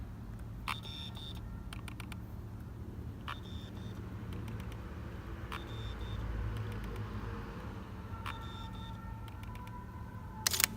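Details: Samyang 50mm f/1.4 FE lens on Sony A7, bought a few months ago: short whirring chirps and fine clicks over a low hum when set above f/1.4 (e.g. f/16); aperture blades stuck at 1.4, not closing, drive straining.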